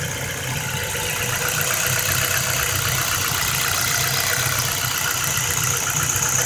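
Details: 2008 Ford Focus 1.6 automatic, 110,000 km: steady idle with a fast, light metallic tapping on top, a few per second; engine knock, most likely piston pins, needing an engine overhaul (pistons and pins, possibly boring the block).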